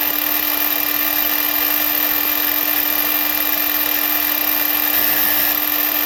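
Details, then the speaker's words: Ridgid 18V cordless miter saw R48607, new (fourth unit, all with the same fault), running at full speed: high motor whine with coarse gritty grinding from the arbor bearing, which leaks oil from the shroud once the noise starts. "you can hear that terrible grinding sound and then also after you start hearing that noise it dumps more oil out of the shroud"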